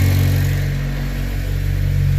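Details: 8th gen Honda Civic Si with new Fork can muffler, test pipe and PRL header: deep, even exhaust rumble swelling with a throttle blip and settling smoothly, no knocks or misses.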